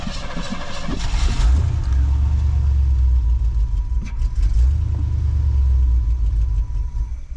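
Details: 1988 Cadillac, unrun for 16 years, after fuel-system work: engine cranks, catches and revs, then the idle surges and sags unevenly instead of settling; carburetor issues suspected, later improved by a carb kit.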